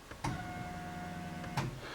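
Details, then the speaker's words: Nissan S13 with RB20DET, engine off, fuel pump triggered from the new Ecumaster Classic ECU output; faint steady whir just over a second between two soft clicks: fuel pump running normally. "So this is the fuel pump. Like we can test it from here. I don't know if you can hear it,"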